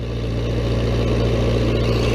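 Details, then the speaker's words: Old, high-hours Vermeer 665A stump grinder with a relocated choke, idling after start-up. Smooth, even low-pitched idle with a steady beat and no knocks, misses or rattles; running like a champ. "fuel up there she goes running like a champ"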